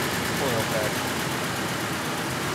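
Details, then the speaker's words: 1999 Ford F-150 with waste spark coil packs, still misfiring after coils were replaced, coil failure suspected of damaging an engine computer driver: a rough, uneven idle with a steady stumble, a constant bad misfire at idle. "Listen to it. Oh, bad miss. Bad miss. Bad miss. That's what we want. Constant misfire is what we want."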